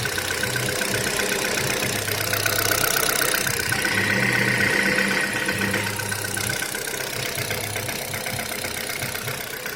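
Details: Kia Rio 3 cold start, idling cold: regular sharp tapping about four times per second over the engine hum; engine knock when cold, cause unknown.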